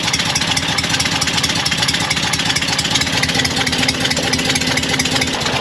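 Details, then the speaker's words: Porsche 912 idling, air-cooled engine with a sharp rapid puffing tick in time with exhaust pulses; exhaust leak suspected from poorly fitted J-tubes and an improperly installed gasket on the new muffler, backfires badly, possibly two leaks. "And this thing, this car backfires so bad, I'm thinking that there's two exhaust leaks."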